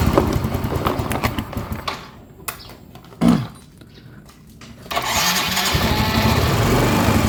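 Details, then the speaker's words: Yamaha Mio M3 125 scooter with a new spark plug, plug cap and coil: it fires and revs, then falters and nearly stalls before catching. It won't hold idle and dies. "Oke ini kan motor udah hidup Ya cuma enggak bisa langsam nah ini enggak bisa langsam inik Dek de dek Yes mati ya"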